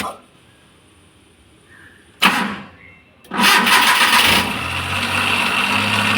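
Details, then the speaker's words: Maruti Suzuki Omni MPFI that stalled while driving with a small rattle, after correcting timing belt: short crank catches quickly into an even steady idle with no misses; timing now correct; slight crank strain from a weak battery and non-working alternator. "ചെയ്തു ഇപ്പൊ correct ആയിട്ട് തന്നെ വണ്ടി start ആവുന്നുണ്ട് അപ്പൊ timing correct ആയതുകൊണ്ടാണ് അങ്ങനെ എടുക്കുന്നത്"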